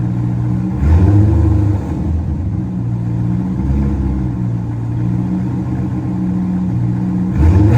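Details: C5 Corvette after a rodent infestation cleanup and rebuild, started for the first time. The engine catches quickly and settles into a steady, even idle with two clean revs. This is a normal start and idle.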